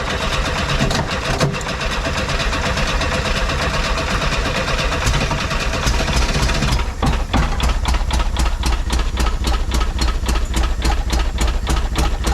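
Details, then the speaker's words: VW bus (1976 or 1978) first start after sitting over 10 years, carb cleaner sprayed in intake: engine catches into an uneven, lumpy idle with irregular beats and faltering rhythm; rough running. "It's kind of running. There we go. I guess we can just assume it has oil pressure."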